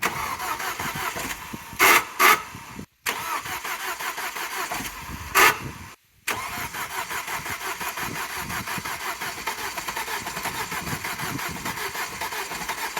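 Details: Vauxhall Astra VXR that lost oil pressure while driving when its external oil cooler lines popped off, refilled with oil: two short cranking bursts, then it fires with a hard, rapid, even tapping over the idle. Engine damage from oil starvation.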